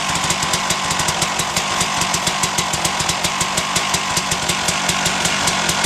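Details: 1997 Suzuki RM250 two-stroke dirt bike on choke after repairing dented header pipe: sharp rapid crackling exhaust popping at steady fast rate, crisp and even, no misses; healthy.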